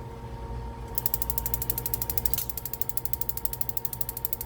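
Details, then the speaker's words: Furrion gas cooktop/oven in a DRV Mobile Suites RV: rapid steady snapping about four clicks a second over faint hum; igniter keeps sparking but no gas reaches the stove, burner never lights. Lid magnet sensor was held only by hot glue. "all right look at there i'm not getting any you probably can't see all right so i'm not getting any gas to the stove"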